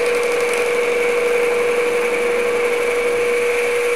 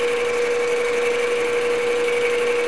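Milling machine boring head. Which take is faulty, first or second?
second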